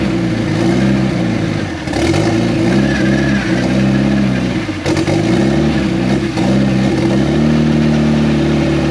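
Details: Turbocharged project car first started after almost 10 years, with no mass airflow sensor and some lines not yet hooked up: revs rise and fall, idle sags and hunts, throttle blipped to keep it alive. Owner suspects the missing MAF sensor; unconfirmed.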